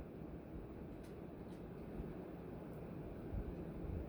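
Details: Hunter "The Original" ceiling fan, model 23853 brushed nickel, tested on a decade capacitor rig with solid state speed control and amp meter; soft, steady low whoosh at slow even speed, no ticking, rubbing or wobble; runs normally.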